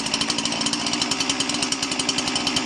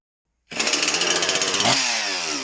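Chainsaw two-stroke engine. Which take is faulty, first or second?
first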